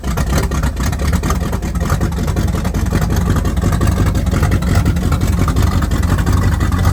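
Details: 1978 Pontiac Firebird 305 V8, abandoned since 1989, running on temporary fuel from a jug with good fuel pump: deep, even V8 rumble holds steady with no knocks or misses; engine runs cleanly.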